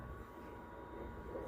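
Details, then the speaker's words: Washer-dryer over a decade old, after repair of a noisy sagging drum, running its drying cycle: smooth low drum rumble and steady motor hum, no knocking or grinding; drum turning normally. "Agora botei na secagem, ó. Tá vendo? Funcionando."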